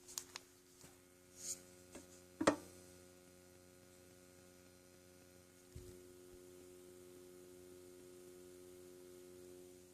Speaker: It's like a buzzing sound. Yeah, it's not too bad, but fuck, I don't know why I keep getting all the damn amps with the buzzing sound.